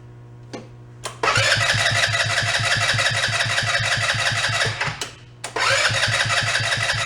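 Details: Two-passenger CVT ATV, about 150cc, sat for a while, cranking after brief battery charge: two bursts of strong even cranking about three beats a second, never catching; not getting fuel, water in carb suspected.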